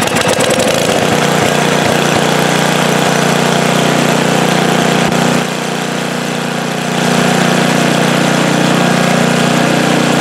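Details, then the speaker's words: Snowblower small engine after squirrels chewed the gas cap and water got into the tank, with fuel tank, hoses and carburetor serviced: steady even beat with one brief dip that recovers cleanly, no surging or stalling; normal running after the fix. "That sounds a lot better, doesn't it? No more stalling, surging. I think we fixed it."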